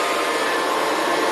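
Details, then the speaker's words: Dying Kirby Classic upright vacuum runs with a harsh, gritty whir instead of a clean hum; owner suspects it needs motor bearings, not confirmed. "it needs bearings but i don't know how to replace them"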